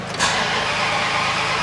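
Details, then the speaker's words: 1970 Dodge Coronet 500 convertible, 383 big block with MSD ignition, found with a dead battery caused by a brake light issue; strong quick crank catches almost at once and runs fine, alternator charging. "come on girl oh here we go there we go starts right up it's running fine looks like the alternator's charging"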